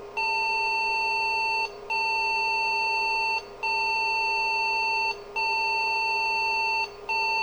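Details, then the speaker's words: IBM 5150 PC at power-on with a newly fitted PC speaker: five long, evenly spaced high beeps about 1.7 seconds apart. These are POST error beeps from the existing error conditions. "now we should hear it beep when we get the computer on because it will still have all those error messages"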